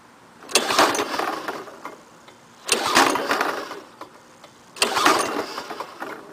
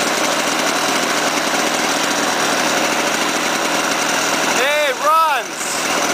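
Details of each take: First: Lawn-Boy 5127 mower, first start after 10 years in a shed, fresh gas, Walbro carburetor, full choke, no primer: three pull-cord strokes, each a quick whirr with no firing; no spark from a fouled spark plug. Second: Lawn-Boy 5127 two-stroke mower, first run in 10 years after swapping in a replacement spark plug and squirting gas into the intake: steady, fast buzz at an even pitch without misses or surging; the engine runs cleanly.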